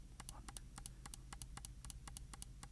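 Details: Logitech G604 wireless mouse left button after replacing the double-clicking OMRON switch with a Kailh 80M switch, click test: crisp single clicks about four a second, clean press and release, no doubles; normal click.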